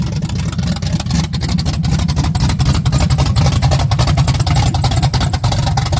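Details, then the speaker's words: 1987 Firebird after replacing the alternator and starter and checking wires, idle screws not yet adjusted: lumpy, uneven rough idle, firing stumbling and speed sagging as if about to stall. "Now, I still got to adjust all the idler screws and all that stuff. So, it does run really rough right now."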